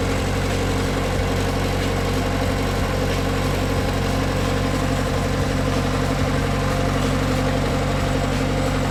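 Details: Bobcat S175 skid steer diesel at steady, even idle after cold start, deep low drone, no knocks or misses; normal healthy idle.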